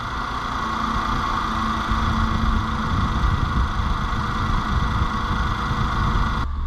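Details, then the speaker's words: 2014 Nissan Note E12, P0172, rough idle and power loss, after replacing injectors (one was faulty): steady low idle with faint shake and slight unevenness. "all right so fine it's vibrating a little too much but see if it um settle the cell phone"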